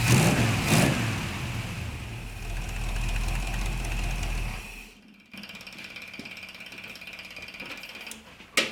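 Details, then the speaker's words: 1975 Chevrolet C10 V8, first start after intake work, being timed, oil not yet changed: even, steady low rumble with no knocks or misses, settling quieter; normal idle, idler pulley freed and quiet. "All right, so Sounds good. sounds good."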